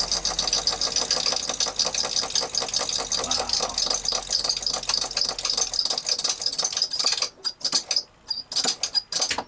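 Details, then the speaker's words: Failing SureFlow 40 psi thermally protected RV trailer water pump: a harsh, high, rattly buzz with a fast ticking edge and a bad squeak that runs steadily, then stops; owner suspects worn bearings; noisy squeaking pump. "Sounds like the bearings are pretty shitty in it. Wow."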